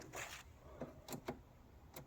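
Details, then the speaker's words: Land Rover Defender 130 TD5 with hazards on after new lights fitted: sharp dry clicks in uneven pairs from the flasher relay behind the instrument cluster, ticking normally. "and I could hear the relay clicking behind there, so you might find that your instructions come thinking that's down there, but in actual fact that's behind the cluster on a Defender."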